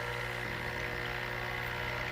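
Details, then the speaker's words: Elektra Microcasa Semiautomatica espresso machine running water to heat the cups: constant low buzz with a steady tone above it; vibration pump working normally. "so in this case uh I want to heat the cups up and you're going to hear the vibration pump it's a burring sound BR"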